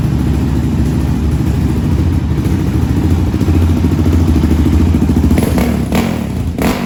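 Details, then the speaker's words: 2020 Yamaha Raptor 700 with swapped-in engine, after valve adjustment (valves had been far too loose, risking ticking): steady low single-cylinder thumping at idle with no top-end ticking. Valve train quiet and healthy. "now you can see the valves is adjusted perfect they don't got they don't got too much play so it's not going to have that they're tapping the ticking noise coming from it"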